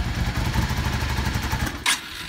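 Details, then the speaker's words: Yamaha V-Star/Star 650 V-twin with Mikuni carbs, choke fully off: lumpy idle, then stumbles and dies just off idle as the throttle opens, a known issue from an idle jet clogged by ethanol fuel. "and right there it stumbles it dies and turn it on again idle's just fine right just coming off idle and it dies this is a known issue it has to do with a particular jet being plugged up"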